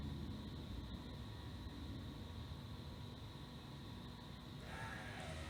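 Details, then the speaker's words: 1979 Pontiac Firebird Esprit with 5.3 V8 swap, Powerglide, stock 2002 Avalanche ECU and Walbro 255 in-tank pump: after writing a new tune, steady hiss then a faint high whir as the ECU cycles and reprimes the fuel pump normally. "all right you can hear the ecu cycled fuel pump reprimed right completed"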